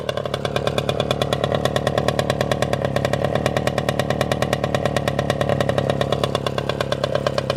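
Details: Motorynka two-stroke moped started after years of storage, no carburettor cleaning: quick even crackling buzz at steady pitch, no misses or rattles; starts and runs cleanly.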